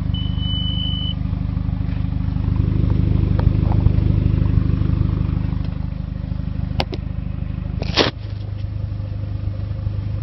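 Steady low diesel clatter at a regular beat, holding even with no stumble or missed beats, engine running cleanly.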